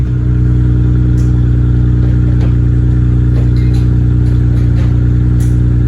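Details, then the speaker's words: Nissan R32 GTR idling on a cold day after clutch reassembly with resurfaced flywheel, OEM bearings and new throwout bearing: steady, even idle with deep low note, no knocks, grinding or bearing whine; throwout bearing sounds good. "She's running. Throw bearing sounds good, no weird noises."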